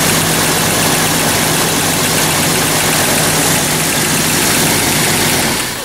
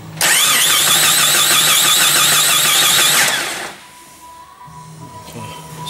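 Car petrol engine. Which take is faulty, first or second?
second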